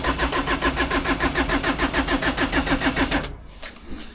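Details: Land Rover Series 2A with a diesel engine swapped in from a 90, first start attempt after new diesel lines: even starter churning about 3.5 beats a second for three seconds, never catching; air in fuel lines.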